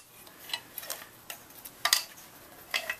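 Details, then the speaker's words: 3.5 hp Nissan/Tohatsu outboard powerhead, freed after being seized with rust, crank turned by hand after refitting the flywheel: light, irregular metal clacks as the connecting rod knocks freely with the piston removed, showing it is no longer seized. "you can hear it knocking because there's no piston in there I kept the piston out"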